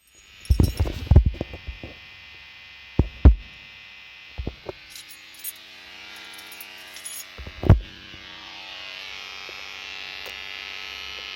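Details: 2009 Skoda Superb: steady electrical buzz from the audio system, present on unlocking after a cold night; glitched Columbus head unit, fixed by resetting it (Left + Right + i pressed together), after which the buzzing disappeared.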